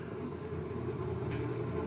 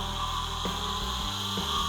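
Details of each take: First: 1960s fiberglass dune buggy converted to salvaged forklift electric motor, battery cable on 6-12V, low gear: even steady mid-pitched hum under load; it hummed terribly unloaded but smooths out under load. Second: Salvaged forklift electric motor for a dune buggy build, previously seized, run free on about 6 V: steady high siren-like whine over a rough internal grinding rasp; abnormal grinding and whining, cause not yet found.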